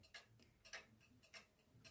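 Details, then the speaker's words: 1940s Manufrance (MF) box clock with Saint Etienne chimes, standard 1940s Girod movement with long pendulum: crisp ticking that intermittently falls out of beat then recovers, because nearly half the escape wheel teeth are shorter or bent; replacement escape wheel needed. "Also, this clock has one of the worst problems that a clock collector can encounter, at least in my eyes, and that is uneven teeth on the escape wheel. If you stand next to this clock and you closely listen to it ticking, you might notice that at some point it gets out of beat and then it comes back to normal."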